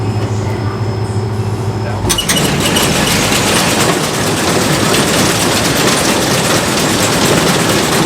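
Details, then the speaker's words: Combine bean/corn head during harvest prep: loud clattering run with fast, uneven metallic rattle from loose bolts, one bolt head worn through its hole; need tightening, washer suggested. "yeah we need to tighten these down this is what was making all that noise"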